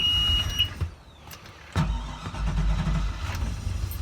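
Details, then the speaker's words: 2005 Bayliner 219SD boat engine: warning alarm beeps, starter cranks briefly before the engine catches and settles to a steady rumble; it has been a little stubborn to start, then good oil pressure and idle. "it goes. Been a little bit stubborn."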